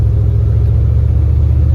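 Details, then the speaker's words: 1979 Ford F-150 driving after replacing a destroyed driveshaft carrier bearing that caused a loud squeal: only deep, even road and engine rumble plus door-gap wind whistle, no grinding or chirping; driveline now healthy. "I hear whistling from the Gap in the door but I don't hear any grinding I don't hear any chirping because before it was awful"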